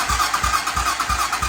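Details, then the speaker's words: 2007 Hawk 250 Chinese dirt bike cranked by bridging the starter solenoid because the ignition button has failed; steady starter churn, about three compression beats a second, no firing; cranks but won't start. "So you can hear it cranking, but it doesn't want to actually run. So let's look into why."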